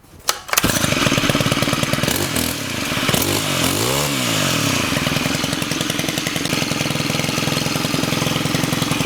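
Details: Stihl FS91R string trimmer after clutch repair (head kept spinning at idle; common after sitting in damp storage): starts, blips, then fast slightly uneven two-stroke idle putter with trimmer head not spinning, no clutch drag; normal idle.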